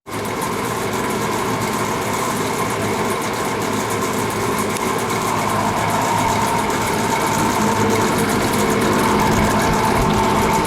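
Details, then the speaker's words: Lakewood box fan, running problem-free for about 7 months, suddenly makes a loud, fast clattering rattle over its hum; owner first suspected one cause but found the blade hub had worked loose on the motor shaft. "I just walked upstairs and I could hear a loud racket from downstairs and uh I am almost positive I know what the problem is now this fan has been running for at least 7 months and it's been pretty much problem free until now"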